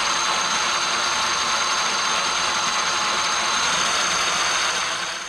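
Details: Traxxas X-Maxx RC truck after cush drive repair (previously chewing spur and pinion gears), test spin: steady high whine with rattly gear noise holding one pitch without the earlier high-low surging; drivetrain sounds smooth.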